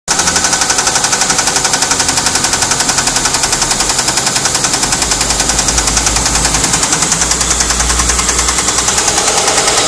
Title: ST220 Engine Knocking